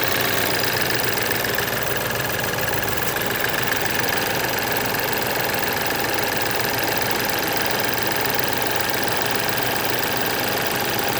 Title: BMW F10 2011r N20B20 Timing Chain noise (before replacement)